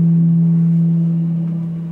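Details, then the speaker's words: Ultima iERV ventilation unit at first commissioning, fan set to maximum speed. Loud steady hum near 170 Hz that fades as the exhaust/suction valve is slowly closed. The air valve vibrates from excessive airflow; each room's element needs adjusting at maximum capacity. "Now you can hear it clearly. There is a lot of noise starting to develop. Okay, so every exhaust and suction element needs to be adjusted."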